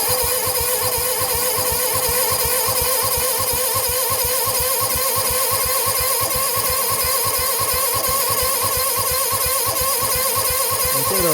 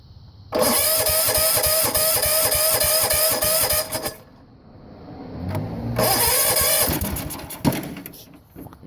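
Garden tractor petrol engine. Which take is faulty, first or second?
first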